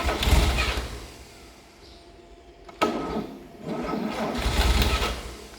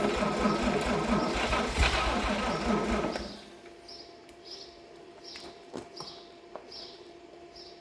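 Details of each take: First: 1954 Chevrolet 261 six, out of a vehicle and still on its transmission, first start after about 40 years sitting in a dry shed: two rumbling firing bursts catching and fading, no knocks or grinding; fires up soundly. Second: 1954 Chevrolet 261 engine that sat about 40 years in a shed, Marvel Mystery Oil put in the cylinders: slow, loose cranking for about three seconds, gasping but never catching; turns freely but won't start.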